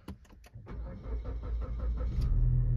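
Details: Suzuki Sport after programming a new proximity key with Autel IM508: starter cranks briskly about a second and a half, engine catches and settles to steady even idle; normal start.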